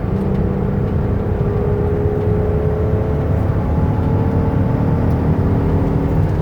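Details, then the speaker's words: 2008 Dodge Caravan SE mobility van, 45,642 miles, accelerating onto the highway toward about 65 mph: even engine drone with smooth transmission shifts, no slipping flare or clunks; engine and transmission healthy. "I'm gonna give it some gas so you could use the engine run if you hear the transmission shift"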